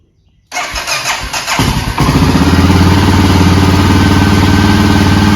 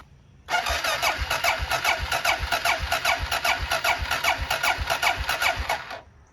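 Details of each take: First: Honda XR650L bought as a non-runner, cold start first thing in the morning with two clicks of choke and no throttle: catches within a second, stumbles briefly, then settles into a steady even single-cylinder idle; healthy start. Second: Honda XR650L single: starter turns it over at about two and a half compressions a second and it never fires; plugs come out wet with fuel, no spark at the plug, so crank no start from no spark.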